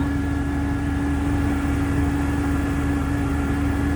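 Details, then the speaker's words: Jeep at idle after parts refitted and torqued to spec, hoping to cure a hum: steady low drone with a fixed midrange tone on top returns; source unclear, owner unsure of cause, says it sounds close to normal, not screeching. "It'll set the hum until it blows up. Because I don't know what else it would be. I mean, it's not that bad. It's not like it's screeching."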